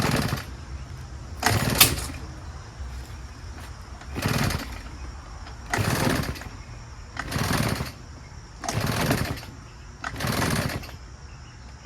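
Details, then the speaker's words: Husqvarna 150BT two-stroke backpack leaf blower: repeated pulls about every 1.5 seconds with weak, brief firing and no catch; it has no compression once oil in the plug hole burns off, piston rings suspected. "the minute it ran that it burns off all that two-stroke oil for that period of time that it runs for now again you have no compression"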